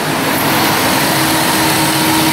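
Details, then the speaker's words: 2007 Chrysler Town & Country with code P0480, engine idling with AC on after cooling fan relay replaced: loud steady rushing air over smooth idle, both cooling fans now running normally. "Oh yeah, fans are spinning. That's it. That's an easy fix."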